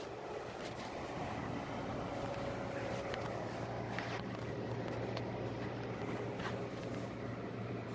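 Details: Induction motor fan after glue repair of the fan blade, test run with oscillation on: low steady motor hum with soft airflow and a few faint clicks from the oscillating head; fan runs evenly.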